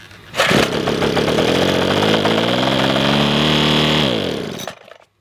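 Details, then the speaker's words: Craftsman leaf blower that quit after wrong fuel, fitted with new piston: small engine catches, screams up to steady high buzz about four seconds, winds down cleanly; runs after repair. "that's awesome the new piston it works that's awesome"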